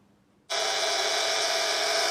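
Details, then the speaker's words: 1930s German Carl Haider violet ray machine, restored with replaced capacitor, switched on with no electrode: instant loud, even hissy buzz without sputter; oscillator generating high voltage properly. "okay buzzing away so it's it's uh oscillating in there and generating the high voltage"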